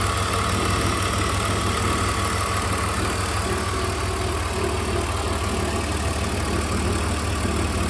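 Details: BMW E46 330i M54B30, cold engine at idle: dull knocks about three a second, coming and going as idle sags, appeared within the last 1000 km; DISA valve suspected, two separate sounds found.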